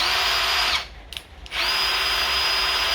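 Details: Cordless drill just reassembled after a plastic piece was chopped off so the battery slides on: steady high motor whine, brief stop, then spins back up to the same even pitch; runs smoothly.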